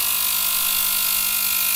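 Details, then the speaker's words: VGT 1000 ultrasonic cleaner (35W, 40 kHz piezo transducer) after repair of a no-vibration fault with a burning smell, tested with aluminium foil: steady even high hiss with a faint buzz, no dropouts; working normally. "So it's working. Now let's wait to see what's happening over there."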